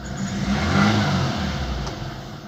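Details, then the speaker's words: VAZ 2115 petrol engine blipped from idle with parking and low-beam lights and heater on (about 13.9–14.1 V): faint squeal over the revs that stops when lights go off; belt squeal from overloaded, worn-out alternator needing replacement. "ну ремень уже свистит надеюсь вам слышно выключаю свет и он перестает свистеть генераторы слишком много берет на себя света потому что он уже мёртвый"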